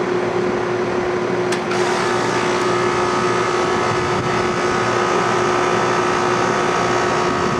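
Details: Rheem Classic central air conditioner condenser, first startup of 2016 on a warm day: steady, even mid-pitched hum with smooth airflow and no knocks or rattles; started cleanly, runs normally and cools fine.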